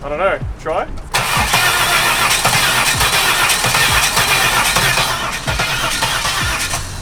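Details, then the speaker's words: Holden Commodore bought as a wreck, about 130,000 km, on a spare battery: the starter turns the engine in an uneven, lumpy rhythm of about 2.5 beats a second with no catch. Sounds like it is compression-testing itself; possibly blown engine. "I think the engine's blown up. It sounds like it's doing a comp test on itself."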